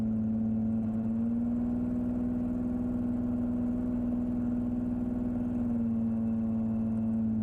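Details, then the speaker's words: Lamborghini LM002 converted to a 9.1L Lamborghini marine V12 racing engine, on a drive after cooling-system work: deep drone that stumbles going into throttle with a lot of popping; carbs suspected to need adjustment or a tune-up. "Oh, this sounds like a boat. I think these carbs are going to need a little bit of adjustment. A lot of popping."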